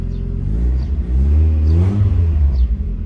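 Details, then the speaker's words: Mazda Miata with newly replaced exhaust line, cold engine revved lightly, kept below 3000 rpm: low, throaty rumble swelling smoothly, deep and clean, no rasp or leaks; old nasty sizzle gone. Normal exhaust note. "Mais le bruit m'a l'air vraiment bon là. Je sais pas ce que vous en pensez, j'espère que le son ne sature pas."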